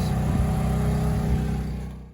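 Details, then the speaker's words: Honda EU2000i generator after refitting wrongly placed carb gaskets: steady, even hum holding firm under a 1500 W heater load with no surging or dips before winding down, LED not fading; normal running under load. "got the heater going generator even seems to be running way nicer for sure not choking itself out it's even going about 10 minutes now"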